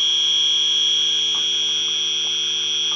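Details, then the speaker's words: AC evaporator coil leak search, system low on refrigerant: a continuous piercing alarm from the detector held behind a line at the coil, where oil was found; refrigerant leak confirmed, one of several at the evaporator. "well guys we found our leak right here like you're behind the right here behind this line"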